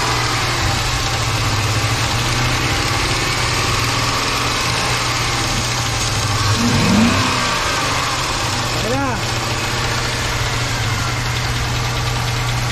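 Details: 5.7 V8 after top overhaul, at idle: faint, loosely regular tapping about three to four per second; knocking noise, possibly hydraulic lifters, not confirmed.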